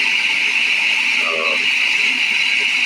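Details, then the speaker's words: 454 Chevy motorhome engine idling just after an upper-end rebuild: a steady, high-pitched squeal from the water pump, which then stopped. Temperature was still good, and the owner says the water pump definitely needs changing. Water pump squeak. "But yeah, the water pump was squeaking. It's just now stopped."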